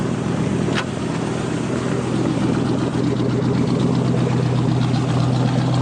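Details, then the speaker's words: 5.3 LS V8 with over 200,000 miles in a 1967 Chevrolet Caprice, running on a newly installed Holley Terminator X: steady, even burble with a smooth low drone and throttle-body intake hiss, no knocks or ticks. Normal idle. "So that hissing sound is the air being sucked through the throttle body, but it's healthy, and that motor has more than 200,000 miles on it."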